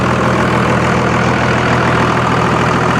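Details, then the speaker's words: Old Cummins diesel truck at auction, no EGR cooler, particulate filter or diesel fluid, hood open: loud, even clatter at steady idle, no misses or extra knocks; typical old diesel noise, runs healthy. "there's no diesel particulate filters no diesel fluids that you got to put in it's just a good solid old motor but damn is it loud"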